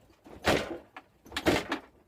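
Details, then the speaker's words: Peugeot Speedfight moped at about 20,000 miles, pre-MOT check, front end pushed down: two harsh creaking, scraping bursts about a second apart. The front suspension spring is worn out, an instant MOT failure. "is suspension completely done front and showing how to test these before an MOT pre MOT but that was gone you know all that is is spring you hear me instant failure"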